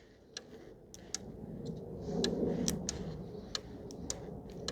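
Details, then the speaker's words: 2014 VW Tiguan 2.0 TSI, ignition off: a relay clicks on and off unevenly, two or three times a second, drawing about 2.4–2.5 A and causing a parasitic drain that flattens the battery. "I don't know if you guys can hear that but the relay is clicking on and off I can feel it too that is pulling about 2.4 2.5 amp"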